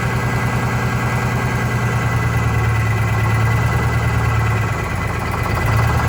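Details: Vintage diesel bus in cold weather, after fuel line work: rough, stumbling idle about three beats a second, misfire; cylinder cut-out points to number 2 cylinder, which changed smoke level; its fuel injector to be replaced.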